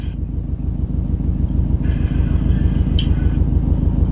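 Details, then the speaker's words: Subaru STI misfiring only at idle around 1000 rpm, with heavy shift-knob vibration: low idle lumps unevenly at about three beats a second, stumbling; cause not found. "so it's only missing at idle at like a thousand around there why the hell would it do that really bad"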